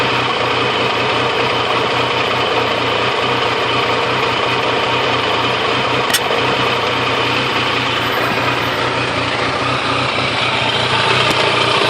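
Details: Triumph Tiger 885i triple at idle: uneven beat with an occasional brief stumble, a sporadic hiccup that sometimes stalls the bike; owner hopes an ECU tune will pinpoint the cause.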